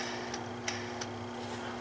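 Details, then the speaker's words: BMW E46 M52TU/M54 inline-six with the belt removed during water pump replacement: a pulley spun by hand gives faint, uneven ticks about three a second from a worn bearing. "if I was going to do this guy here you can hear that bearing is"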